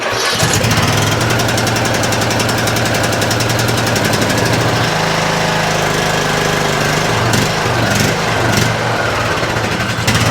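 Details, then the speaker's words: 2007 Craftsman LTS 2000 riding mower, small single-cylinder engine, running off choke with a nearly seized throttle. It has an uneven, lumpy beat with a loose rattly edge and sounds like bottom-end knocking; a bad head gasket or damaged piston rings are suspected. "She's a little rough. She's a little rough. And uh I was trying to just work with the choke manually by hand over there, but it definitely sounds like there is some knocking going on in that bottom end."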